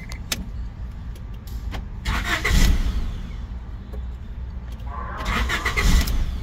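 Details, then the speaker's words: 1994 Honda ECU after replacing leaking Nichicon capacitors, still faulty: starter churns far longer than normal with uneven surges before catching; won't start unless check light stays on, ECU missing crank timing signal, not fixed. "t start it took a while to start a couple of attempts okay let's see thing I noticed if the light the check light doesn't come on it won't start kind of started yeah that's what it does so it's not working"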